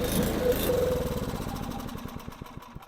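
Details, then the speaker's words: Small engine on stored equipment with fuel switch, primed and started without its plastic key: uneven firing that slows and stumbles, pulses thinning until it nearly dies; sputtering, cause unclear. "it's still sputtering. Let's turn this a little bit, because I don't want it to be sputtering."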